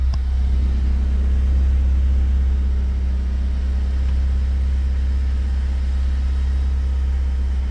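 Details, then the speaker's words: BMW E36 Compact M43 idling cold while warming up, after a new idle control valve was fitted with sealant and the MAF sensor was cleaned. Low, uneven, lumpy idle that sags and nearly dies before settling: a rough cold idle. "As you can see, it's a very hard start shaking. It's very rough. And now we're going to wait for it. Oh, it almost died."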